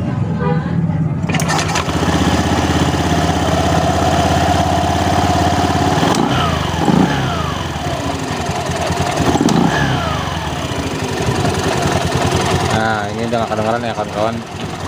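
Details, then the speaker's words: Honda Beat FI scooter at idle after a cheap CVT fix (a shim plus grease) for a clattering sound at idle; now an even, steady drone with no rattle from the belt drive. "Alhamdulillah udah gak ada suara seperti awalnya tadi ya Langsung pasang aja Alhamdulillah Ini udah nggak bunyi lagi ya kawan-kawan ya"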